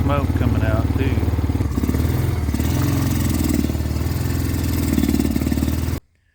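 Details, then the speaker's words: Honda Rancher 350 ATV starting uphill in second gear bogs and struggles as if about to stall. Replacing the angle sensor and CDI and fixing vacuum lines didn't help; a carburetor jet is suspected. "Starting out in second gear, see, it's not wanting to go."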